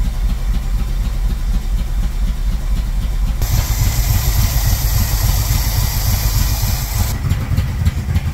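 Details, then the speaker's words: 1978 Monte Carlo V8, rebuilt 2004, sat for months: lumpy, uneven idle with irregular low pulses, never smooth; rough running. "well as you saw the motor does need a lot of TLC it turned off on me once on camera but I was actually trying to create more content driving down the street but I was having a lot of issues keeping it on it kept backfiring and also it wouldn't accelerate"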